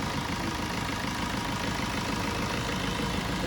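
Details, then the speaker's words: Maruti Swift after alternator pulley and belt replacement: steady even idle with no squeal, chirp or flapping vibration rattle; the earlier belt-side damping noise is completely solved. "അപ്പോൾ നമ്മൾ മാറ്റിയിട്ടുണ്ട് alternator പുള്ളി, belt മാറ്റിയിട്ടുണ്ട്. ആ complaint complete ആയിട്ട് solve ആയിട്ടുണ്ട്."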